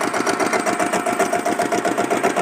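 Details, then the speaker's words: Diesel Bullet motorcycle with self start. The weak battery slows self-starting. Slow, even idle thump with no extra rattle from the clutch plate, and engine condition said to be good. Healthy diesel single idling. "இந்த வண்டி beat பாருங்கள். Clutch பிளேட்டில் எந்த விதமான ஒரு extra நாய்ஸுமே இல்லை. எவ்வளோ சூப்பராக நீட்டாக இருக்குதுன்னு பாருங்கள் இன்ஜின் கண்டிஷனு."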